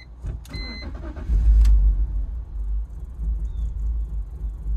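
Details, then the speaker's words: BMW E46 325Ci misfiring on cylinders 1-3 (codes P1343, P1345, P1347, P0444, P0102) after new spark plugs, fuel pump and brake booster: uneven lumpy idle surging and sagging, stumbles and dies when given gas; rough idle and stalling under throttle. "here it is 3 2 1 H Ron's almost worse what is going going on guys instant death let's go again let's PR a little bit I'm give some gas"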